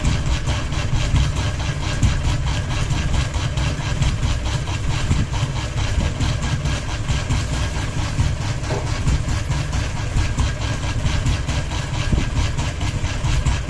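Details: Ceiling fan with one blade and a hanging ball: steady low drone with a slow, uneven throb roughly every two seconds as the fan wobbles from heavy blade imbalance.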